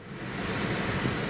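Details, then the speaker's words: Honda with the AC at full blast on recirculation, recorded with a GoPro in the cabin: steady, loud rushing air with no pitch change. The blower is noticeably loud, and the owner says Honda AC has never been good. "And it's quite loud. I'm sure you can hear that. Whether it sound like wind noise, I'm not sure how the GoPro is going to pick it up, but you can hear it."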